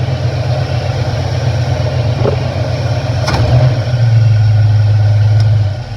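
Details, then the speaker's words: 1970 Chevrolet C10 V8 at low idle after setting ignition timing, blipped briefly: smooth, even idle with no front tap or slap from the worn timing chain and gear; timing probably within a few degrees. Normal idle. "there it is low idle tap is already gone the timing is probably within just a few degrees"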